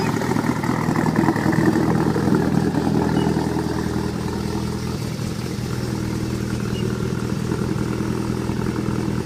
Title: Morning Rough Idle